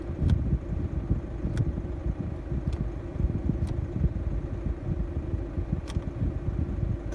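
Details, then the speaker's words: Tata Nexon XZ+ after first service around 5k km, with check engine error, quick heating, lost pickup, stalling and drop to neutral: engine running with rough low rumble and irregular knock-like ticks about once a second; cause unclear. "you can hear the noise outside of angel which I'm getting like a knock sound"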